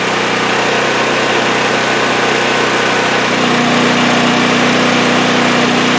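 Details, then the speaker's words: Champion 5500 W generator after overdue maintenance (oil, spark plug, oiled foam air filter, new battery) as an electric heater load comes on: steady drone whose note shifts slightly, then holds smooth without hunting; running fine. "So that sounds like it's running good. I'm going to put a load on it now. I had an electric heater here for a"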